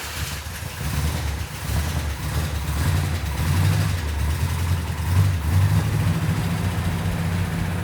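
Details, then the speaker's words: Jeep engine at first start-up with timing set: a deep, even burble with light throttle blips, steady firing and no misses or knocks; sounds healthy. "When Mark got it started, it sounded really nice. I couldn't even hear it."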